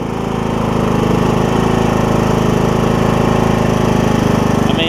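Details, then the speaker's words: John Deere E100 mower, 17.5hp Briggs, about 80 hours, after camshaft replacement for hard starting: steady, even single-cylinder beat with no misses or knocks; starts easily, even cold starts fired right off; running smooth. "it's just light even when I cold started this morning it was just like blue right off the bat so that's excellent"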